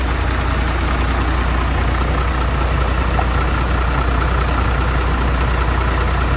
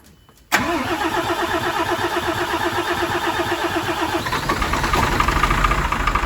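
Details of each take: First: MAN TGM truck, D0836 LFL 63 diesel, after engine rebuild for smoking and misfiring, with bench-tested replacement injectors: deep, steady idle with even low beat, no misses or knocks across cylinders; normal idle. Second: MAN TGM D0836 LFL diesel truck at first start after engine rebuild: runs unevenly with a lumpy, irregular beat; diagnostics showed faults in cylinders 4, 5 and 6, with injectors 4 and 6 shorting to ground.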